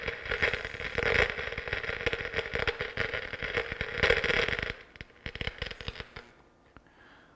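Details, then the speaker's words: Pioneer SX-727 AM/FM receiver (probably early-mid 1970s), left channel preamp out fed by RCA into a signal tracer: dense irregular crackling and popping with sharp bursts, then fading; fault confirmed in the preamp. "that pretty much lets us know we're definitely in the preamp on this one"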